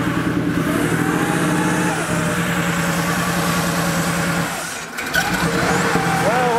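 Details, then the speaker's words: Porsche 3.2 Carrera flat-six after rebuilt injectors refitted, restarted a couple of days later: ragged stumbling misfire with uneven pulses even at steady high rpm, sagging and dying, worsening over time; cause not yet found. "holy cow boy it is very not happy about something that's for sure even at high rpms it's not happy that's not me goosing it at all i'm holding it steady"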